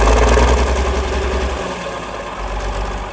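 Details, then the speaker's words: 1947 Cletrac FDE diesel crawler, first start after sitting many years, injection pump freed, fresh fuel, water leak and missing fan belt: loud start settling to an even, steady low idle thump, no misses; normal idle. "There she is, folks. Running like a charm."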